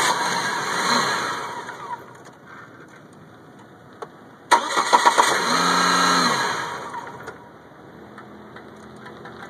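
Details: 1998 Chevy Cavalier that only starts in hot weather when the sun is out. The starter spins the engine in an even rhythm for a couple of seconds at a time, but it never catches and runs, cause unknown.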